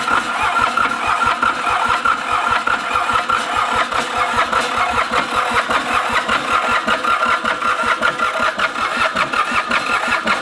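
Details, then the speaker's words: Mitsubishi K3D diesel in a Ransomes Bobcat mower after 9 years idle, given starting fluid: long uneven chugging crank with ragged firing and exhaust puffs, never settles into a run; owner suspects excess fuel causing heavy black smoke, unconfirmed. "all right well it's certainly given us some some puffs up the exhaust pipe hit her with a little bit of starting fluid"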